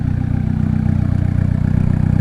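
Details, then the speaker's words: Turbo Honda Accord, idle adjusted down to about 1000 rpm: low, even, choppy exhaust pulse, no hunting or misfire, returns right to 1000 rpm; healthy idle. "sounds nice and chopping out instead of like wool you know it sounds a lot better"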